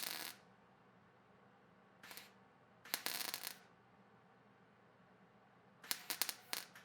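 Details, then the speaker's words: Stitch welding to fill holes in thin sheet metal: short crackling arc bursts with quiet gaps, a tapping sewing-machine cadence rather than a steady sizzle or continuous bead, which is proper stitch welding. "You can hear the cadence of when the arc strikes. It is not a continuous bead. It is, think of a sewing machine needle coming down and tapping and then pulling back and tapping and pulling back."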